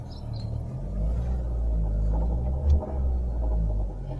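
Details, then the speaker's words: 2012 Chevrolet Sonic engine running with a low uneven knock resembling rod knock; cause found to be the water pump, though it shows no play. "que tenía el ruido encontramos la causa del ruido era la bomba de agua aunque no tiene juego ya la estamos probando"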